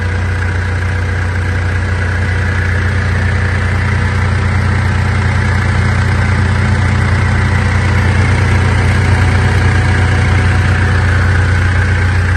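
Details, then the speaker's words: 2014 Mitsubishi L200 Triton 3.2 diesel, 254,000 km, after replacing the worn timing chain kit (noise had grown as the engine warmed): steady, even idle with a smooth low rumble, no knocking or rattling; noise gone. "pessoal Zerou pessoal o barulho do motor"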